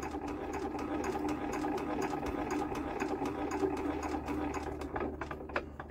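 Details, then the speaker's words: Old Lister diesel generator, sitting about 20 years, cranked decompressed: sharp, regular creak about four times a second, showing the injector sprays properly and isn't leaking off. "we'll just decompress see if we got a squeak nothing we'll give it a second he's on there it ah I can hear that"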